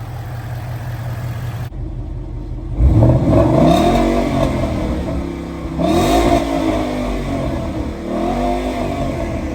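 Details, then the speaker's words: Bone-stock 2014 Mustang GT V8, before any mods: smooth, steady burble at idle with three clean throttle blips rising and falling evenly. Normal idle and revving. "Let's hear how this motor sounds. Beautiful."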